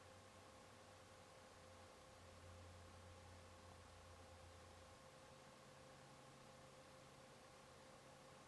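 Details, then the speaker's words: PS4 console fan recorded with a Canon EOS 60D's onboard camera microphone: faint steady hum over soft airy whir, no rattle, tick or grinding; fan running quietly and smoothly. "i was playing a disc game the fan was running i quit out to the menu and started up netflix and within like under 10 seconds the fan immediately started to slow down and go down to pretty much about nothing because it's just running netflix"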